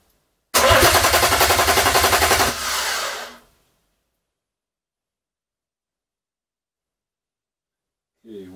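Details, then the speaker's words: BMW M57 diesel on an engine stand for a Land Rover Defender swap: starter churns about 3.5 beats a second but never catches. "it's thursday and i wasted all day yesterday trying to get this thing started i just couldn't"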